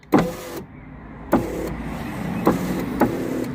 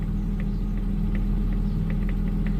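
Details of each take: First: Daimler passenger window after repairing a wire the glass had been catching and tucking it away: motor whirs evenly between firm clunks at each end of travel, no scraping or catching; window runs normally. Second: Daimler at idle after replacing resistors that looked burned out: indicator ticks fast, about two and a half per second, on both sides; hyperflash persists along with dash fault light, cause still unknown.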